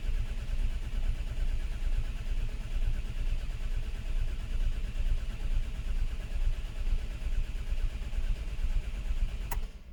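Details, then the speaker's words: Non-runner Mk4 Ford Fiesta, unstarted for over 4 years, cranking steadily and slowly, about two turns a second, without catching; 12 V at coil but no spark; crank sensor signal graph shows max 334 rpm with long gaps and single spikes: failed crankshaft sensor. "so what we can see there is the max RPM of the engine was 334 RPMs and we can see that there's quite a gap in between every sensor here there was nothing for ages nothing happened for quite a while"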